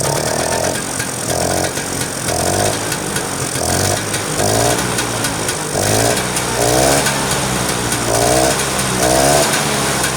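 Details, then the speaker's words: Vespa two-stroke scooter running after clearing flooding and carburetor setting, being watched to check it no longer floods: steady running with rhythmic rev swells about every two seconds, firing evenly with no stumbling. "oke itu sudah kita hidupkan ya sekarang untuk pengetes an karbune masih banjiran apa enggak kita tunggu beberapa saat ya"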